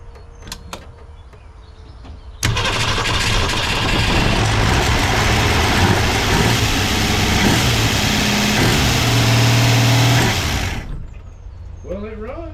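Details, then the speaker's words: Ford Falcon revived after new points, condenser, cap, rotor and plugs: it cranks, fires and idles a little high (idle not yet adjusted) with a light fast ticking; oil pressure seems present as the lifters primed back up. "she did fire up sound like he got a little ticking um but it seems we have oil pressure because for the most part the lifters primed back up so that's good to know"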